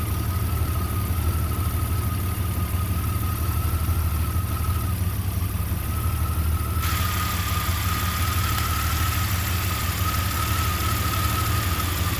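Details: Jeep Comanche 4.7L stroker engine idling with a deep, uneven lope and a faint steady whine above it; rough idle, cause not stated.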